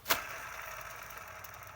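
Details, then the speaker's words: 2006 Chrysler 300 2.7L V6 with a squeal when warm: with the belt off, the hand-spun tensioner pulley gives a dry, gritty rasp; its bearing is likely rusted or worn, suspected cause of the noise. "as you can hear that this the bearings in there are most likely rusted and causing that noise"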